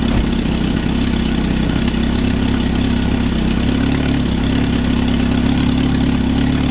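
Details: SX4 just fitted with a Holley 3200 carburetor on an Offenhauser adaptor, replacing a failing Varajet II, with an electric fuel pump at six psi: it fires up after a couple of cranks and settles into a steady, firm low-rumbling idle with no misses or knocks. Normal start and idle.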